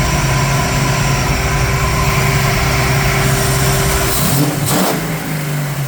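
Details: 1968 Mustang Fastback with 351 Windsor V8 running after 25 years, cam bedded in and warmed up several times, torque converter-to-flex plate nuts fitted: deep, even V8 idle with a clean throttle blip; normal idle and revving.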